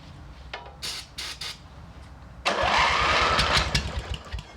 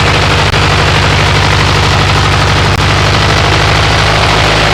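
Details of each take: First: MTD riding mower twin engine, one head gasket replaced, started on ether: slow cranking bursts, then rough, lumpy running on only one cylinder because the head gasket on the other side is leaking. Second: MTD riding mower twin-cylinder engine after replacing one head gasket and swapping the aluminum woodruff key for a steel one: pops along loud and steady at a fast even beat, then winds down at shutoff; runs healthy, burning off oil and mouse debris.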